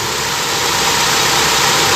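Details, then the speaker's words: Toyota Corolla twincam liftback gen 2 engine just started, idling steady at 800 rpm: smooth, even hum without the valve chatter twincams often have at startup; engine sounds healthy, normal idle. "tapi untuk ini silinder alus masih nyaman oke jadi saya rasa ini mesin bener-bener masih sehat"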